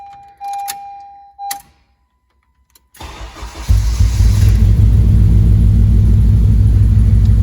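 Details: Civic Si with crank and idle problems, started by jumping wires: quiet seconds, then cranks and catches into a lumpy uneven rumble near four beats per second; misfire suspected, unconfirmed.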